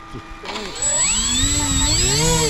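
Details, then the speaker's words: 3D-printed Nemesis flying wing with ESCs left uncalibrated: at barely-there throttle the two electric motor whines drift apart in pitch, one clearly spinning faster, and the wing pulled to one side; mismatched motor speeds. "Yeah, Sounds like that one's going faster."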